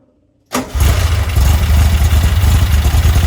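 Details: Herthing with a Weber 44 IDF carburetor, after main jets were raised from 135 to 152, before a road test under load: engine catches at once and settles into a strong, even, deep rumble with no stumble or misfire, starting and revving cleanly.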